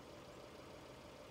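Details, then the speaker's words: Fiat 500 1.4L idling after its failed vacuum pump (original failed at 125,000 miles) was replaced with a new one. A steady, even idle with a light clock-like tick and no knocks or misses; running perfectly fine. "as you can hear the car is ticking like a clock and working perfectly fine"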